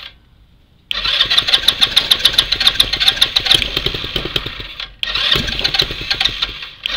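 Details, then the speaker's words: Spiderbox go-kart with a standard GY6 engine: the starter spins it steadily twice on a freshly charged battery, turning over strong, but it never fires. Cranks but won't start; owner suspects the carb or rigid hard-plastic fuel lines. "now what i want to know from y'all is why why does this thing not want to start up could it be the carb maybe the fuel line"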